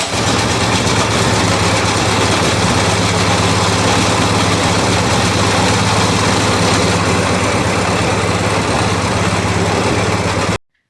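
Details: Snow blower single-cylinder replacement engine, four years in service, after carburetor cleaning and fresh gas, choke on: runs steadily at medium throttle with an even rapid beat, then shut off; runs cleanly.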